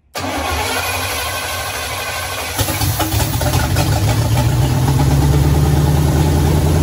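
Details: 1967 Pontiac Firebird, sitting 25 years, first start after a swap to a 1977 Pontiac 350 with TH350, fuel poured down the carburetor; cranks a couple of seconds, then the V8 fires into a deep, fairly even lumpy idle.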